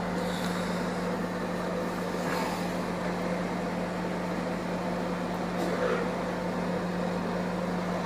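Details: AFK MWDGE 20 microwave after repair of a "turns on, hums, doesn't heat" fault by replacing the relay and melted 5 W resistors: steady low hum, no buzzing or crackling; heats normally, water slightly warm after 14 s.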